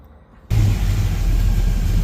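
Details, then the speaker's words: Datsun roadster with a new EFI conversion, first start on ethanol fuel, tables only roughly adjusted: catches and settles into a lumpy, uneven low rumble; running rough, not yet tuned. "all right so it's running pretty bad obviously it's not going to be anywhere remotely good just yet"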